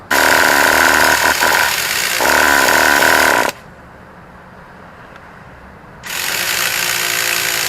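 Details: Traxxas T-Maxx 2.5 classic nitro RC (bought used) on 20% Traxxas nitro, 1–2 mm carb gap, clean exhaust and air filter, glow plug good: a shrill starter spin of about three seconds, a pause, then another spin with no firing; cranks but won't start.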